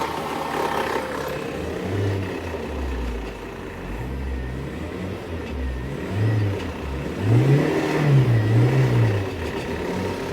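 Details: Wrecked 1999 GMC Sonoma parts truck, engine revved while floating gears into third and fourth: low note rising and falling smoothly, no knocks or misses; motor healthy.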